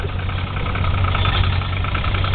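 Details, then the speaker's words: Toyota Supra 7M engine, the black car used as the healthy comparison to a similarly modified 7M with rod knock; microphone close, smooth steady idle with no tapping or knocking. Normal idle. "mean it's curring nice idle was off real smooth real smooth too I mean I was up real smooth"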